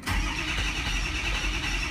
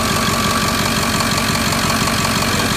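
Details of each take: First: Diesel truck after replacement FICM, passed self-test, 48.5 V module supply, number three injector bad: catches quickly, a little uneven at first, then fires right up and settles into a smooth, steady idle. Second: Diesel truck at idle during a power balance check, number three injector suspected bad: a sharp, fairly regular knock near three per second on top of the idle; source not confirmed.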